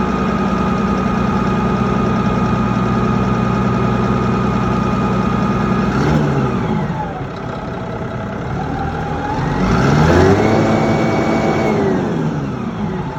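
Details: Mitsubishi 6M60 diesel crane engine idles with an uneven, lumpy beat, revs twice and drops back to a rough shaking idle, indicating a misfire.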